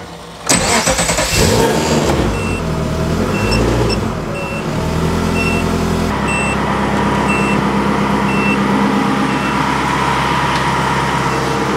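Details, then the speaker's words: Ferrari-engined Alfa Romeo 105 ("Alfarrari") after overheating, with new triple-pass radiator fitted and coolant topped up: steady even idle with fan whirring, fan cycling on and off as temperature is brought down; cooling now holding temperature normally. "All right, that's the first time I've managed to get the fan to go on and actually brought it down, the temperature down low enough to turn the fan off and let it go again."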